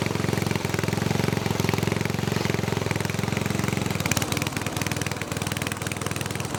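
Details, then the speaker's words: Snowflite snowblower, hand-started outside with oil slightly low: small single-cylinder chugs steadily at about four beats a second, no misses or knocks; runs normally. "so that thing runs good it makes me happy"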